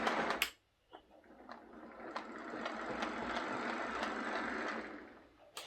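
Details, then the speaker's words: Lima Class 156 DMU model after a CD motor conversion, running past the camera with a soft, even motor whir and light rail clicks, at steady speed without stalls or stutter. The model runs normally. "but it's certainly running very nicely with the cd motor"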